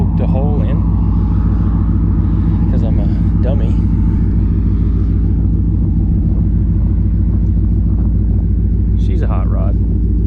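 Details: Detroit Diesel-powered car crusher around the welding of a patch over a hole in its hydraulic tank, after which it was shown actually working. A deep, steady, even diesel rumble with no knocks or surges; running normally.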